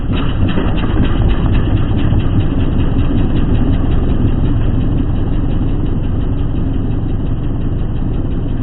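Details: Lawnmower single-cylinder engine running after a new blade was fitted; loud steady drone with a rough, throbbing shake at speed, vibration caused by the bent crankshaft.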